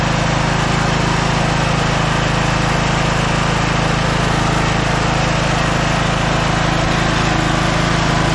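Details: Scotts 15/42 lawn tractor engine, fired right up after jumping the starter, carb not cleaned: steady, even beat at constant speed, no misfires or rattles; healthy.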